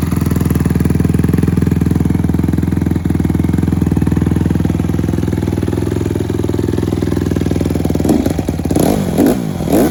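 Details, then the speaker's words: Honda CRF150R single-cylinder after valve re-shim from about 1.2 mm to 1.4 and 1.45 mm shims; steady idle picking up cleanly into sharp revs, previous top-end rattle is gone, good compression. "so i went up to 1.4 and a 1.45 and this thing sounds amazing now no more rattling doesn't matter how hard you hold it"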